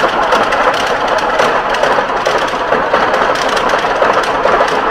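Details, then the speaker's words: Leopard 1 tank Mercedes diesel power pack running on the shop floor after maintenance and before reinstallation, no more leaks; steady, even roar with no knocks or misses. "We've test run it on the floor. Everything looks good. No more leaks."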